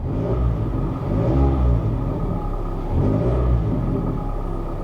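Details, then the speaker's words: Mazda Miata with a flashing start light and briefly rough running on startup. A light throttle blip brings a deep, boomy, louder-than-stock exhaust drone. A deleted resonator or other exhaust work is suspected, not confirmed. "there's somebody's deleted like a resonator yeah yep somebody deleted a resonator or something on this there's definitely some exhaust work"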